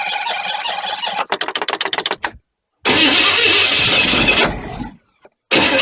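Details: 1985 Chevy truck, cranking after a fuel pump change: a harsh, rapid chattering crank of about a dozen quick beats that cuts off abruptly, then the engine runs. The starter sounds like it needs a shim; the alternator bracket is broken and the belt loose.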